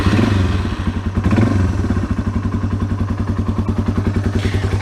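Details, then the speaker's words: 2004 Yamaha XT225 single-cylinder, first start after an oil and filter change; steady, even thump with no tappet clatter as the oil circulates; healthy normal idle. "can hear right away the oil's circulating through the engine. You don't hear any tappets clacking, anything like that."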